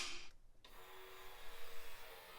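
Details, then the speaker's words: Off-road vehicle electric fuel pump after swapping power and ground wires to fix reversed rotation: clunk then steady thin even whir, pressure building to 20 psi, no leaks; pump now running correctly. "That sounds way better. We're only at 20 pounds, but again, no leakies."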